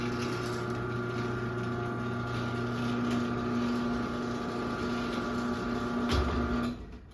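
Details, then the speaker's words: 2001 Chamberlain 7320 1/2HP chain-drive garage door opener with a non-original rail, chain, cable and pulley from a Craftsman: a steady motor hum with a buzzy, uneven rattle as the trolley vibrates while travelling, then stops; cause unknown. "Trolley is vibrating."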